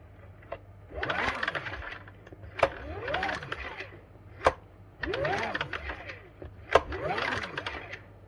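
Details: Champion 8200i-DF-EU dual-fuel generator on LPG, carburetor cleaned, spark plug area smelling strongly of LPG: four electric-start cranking bursts about two seconds apart that die without firing; cranks but won't start, possibly flooded with LPG.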